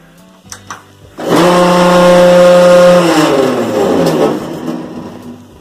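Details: Bosch WTVC3300US/10 electric dryer: a loud droning hum with a rough rubbing edge at drum start. A slipped motor hold-down bracket let the motor rise, so the hex drive-shaft end rubbed the tensioner wheel. Fixed by reseating the motor under the bracket.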